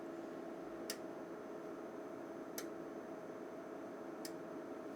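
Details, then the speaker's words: Fluke 5700A calibrator being rebuilt, running its 15–20 minute self-test: sharp single relay clicks about every 1.7 seconds over a faint steady hum as it switches functions and ranges, normal operation. "you can hear some relays clicking that's like as the calibrator progress to the different can test conditions it will select and switch different functions and ranges"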